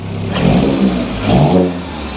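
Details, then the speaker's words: Astra VXR, cold start after fitting a 3-inch turbo-back exhaust in place of a 2.5-inch Miltek cat-back, run without the resonator. Two throttle blips with a deep, loud, clean roar, no puffing or ticking; definitely louder. "Well, we can confirm straight away, it's definitely louder."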